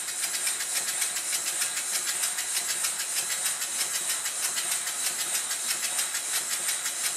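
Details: Rebuilt Stuart model steam engine with a reversed slide valve in the steam chest corrected so timing is now right, running on low pressure. Soft, even exhaust chuffs over a steady hiss with no knocks; running perfectly.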